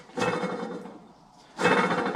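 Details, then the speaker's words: Porsche 997 Turbo engine out for repair, old water pump removed and spun by hand: rough gritty rattle while turning; worn water pump bearing. "one probably shouldn't sound like this"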